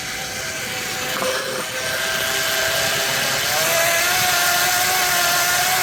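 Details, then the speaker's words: 125 W friction-drive setup on beach cruiser, battery-powered motor, test ride: loud hissing roar with wavering high whine climbing with motor speed from plastic idler roller; wheel slipping, revs rise without speed gain. "As you can tell, it's really loud, so as you're riding around, it does make a lot of chain noise."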